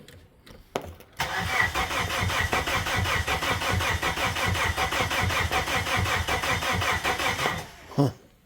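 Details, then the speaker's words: Abandoned Plymouth Neon, sat at least 8 years: starter cranks steadily about six seconds with even compression pulses but never catches, even after carb cleaner sprayed into the intake; crank no-start traced to missing fuses. "so let's see what we got all right still got nothing you could have you know back coil God only knows"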